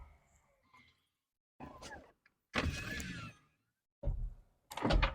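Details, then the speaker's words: 1998 Corvette C5 power window after repair. Short clean motor hums of about a second each as the glass travels, ending in soft stops with no grinding or straining; window works properly. "lovely that my friend is what we call a job well done this one goes up as well superb"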